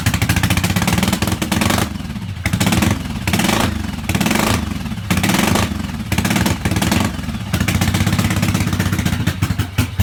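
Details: 1986 Yamaha XV750 Virago V-twin on a Gen1 KJS single-carb manifold, first start after winter at about 5 degrees, with old gas, dirty carbs and the choke disconnected. It surges and drops off unevenly between throttle blips and clearly needs carb tuning.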